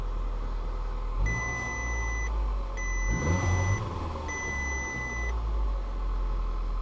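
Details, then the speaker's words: Skoda Fabia Monte Carlo with 58,258 miles, listed as a non-runner from Copart, at first start. Low, steady idle rumble with three long beeps over it. It was a bit sappy at first but now holds an even, healthy idle. "of course it starts it's a bit so it was a bit sappy were in it but listen to that now this sounds great"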